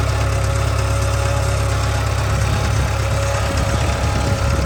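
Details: 2013 Subaru 2.0 boxer at idle: steady, heavy low hum with a faint, uneven knock underneath; owner reports hum and knock in the engine, source unclear.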